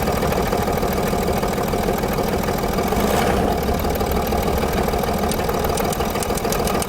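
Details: Land Rover Discovery 3, 2.7 diesel with about 280,000 km (estimated) on Eni i-Sint 5W-30 oil: a heavy, dull knock under the idle clatter, about three a second and growing. The rod bearing shells have spun.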